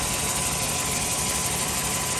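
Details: 1996-2000 Chevy Tahoe just after replacing the crank position sensor, starts right up with no codes: even, steady idle with bright hiss over soft rumble, no misses or knocks; running normally.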